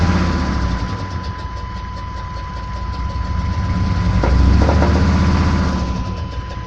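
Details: 6.5 diesel truck that started knocking on the way home from work: regular knock about four per second over steady idle; owner suspects stuck injector or rod knock, unconfirmed.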